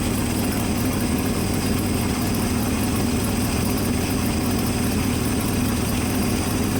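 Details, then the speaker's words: Ford F-600 dump truck engine idling after fitting a brand-new water pump, electronic ignition, new carburetor, new plugs, idle screws just adjusted: steady smooth low idle, no whine or bearing rumble from the water pump; normal idle. "Yeah, water pump's smooth, boy. This thing ain't making a noise, is it?"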